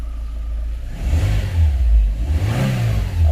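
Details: Chevrolet Optra that would not start (immobiliser warning light staying red), after the immobiliser is cancelled: engine catches and runs, revs up smoothly and settles without misfire or stumble; starts and runs normally.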